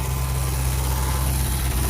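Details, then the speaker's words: 1973 Ford Mustang Grande coupe 302 V8 running for the first time in 10 years after a mechanical fuel pump swap: deep, even idle burble, steady low rumble, no knocks or misses, idling pretty well; a fuel leak at the front was found afterward. "first time in 10 years oh that sounded good hey look at that wow hasn't ran in 10 years"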